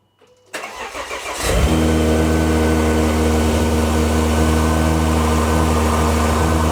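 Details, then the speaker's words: 2010 Volvo XC70 T6 first cold start with new custom intake without resonator: brief crank, catches and settles to steady, even high idle with loud intake hiss in a loud engine bay; healthy cold start. "yeah, you hear the intake noise a lot more. You can actually hear the intake. The engine bay is very loud, guys, with the exhaust"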